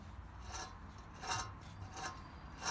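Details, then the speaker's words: 2001 Lexus IS300, driver's-side front steering hub removed and turned by hand: quiet, rough, gritty rasping bursts instead of a smooth spin. The hub bearing is toasted and worn out, and the hub is being replaced. "that definitely doesn't sound supposed to sound like that. That's a bad hub burn."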